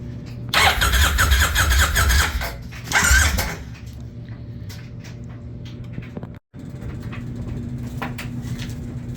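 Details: 1999 Kawasaki Vulcan 1500 after storm submersion, water cleared and carburetor cleaned, started on choke: catches after a couple of throttle blips, settles into a steady lumpy V-twin idle, no knocks; running normally.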